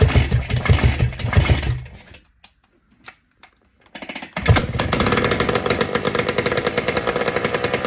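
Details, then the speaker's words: Jawa 250 type 592 two-stroke engine after full overhaul, test run: runs choppy, cuts out to a few weak pops and spits, then picks back up unevenly; fuel not getting through, float leaking. "nejde tam benzín nejde už aj pľuje hej"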